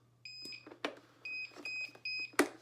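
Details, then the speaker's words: Thopaz+ digital chest drainage system filter clogged alarm: a high beep repeating in evenly spaced pulses, a few per second, over handling clicks. Muted by pressing the up and down buttons together; follow the on-screen instructions. "have just created a filter clogged alarm. To remedy an alarm, simply follow the instructions on the screen."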